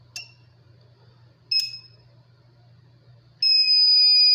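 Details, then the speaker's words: Intelbras XNB 720 BI UPS, dead after city power drops, battery replaced by bench supply set to 13 V: two short high chirps then a steady one-second beep, no running hum, won't start; current limit suspected too low. "Tô respondendo aqui também não ligou deixa eu aumentar amperagem pode ser isso"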